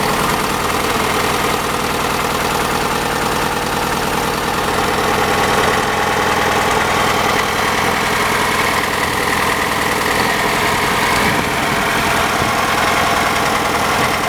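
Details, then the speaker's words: 1985 Chevy Cavalier CS station wagon at idle on restart of the project car: uneven idle with an irregular stumble and shake; misfire, cause not pinned down. "All right. You can hear that misfire. Oh yeah. You can't really see it, but that thing's shaking."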